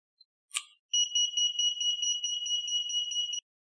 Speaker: Now the lost key cannot open the cylinder, and when inserted, you will hear an alarm sound.